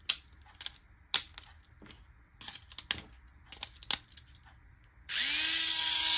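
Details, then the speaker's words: Tamiya Mini 4WD MS/MA chassis with the m4dtang floating gear and the counter gear gap adjusted, transmission ungreased: hand clicks, then the motor spins up to a smooth, even whine with no grinding. The gears mesh cleanly. "So again, it might sound a little bit weird. I told you guys I didn't put any grease on the transmission system."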